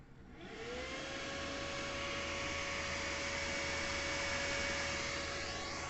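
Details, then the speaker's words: Lenovo desktop CPU cooling fan spins up then holds a steady loud drone with a thin tone on top; loud fan noise persisting after cleaning, owner plans to cut the grille to improve airflow. "सुन सकते हैं इसकी fan में से कितनी नॉज आ रही है"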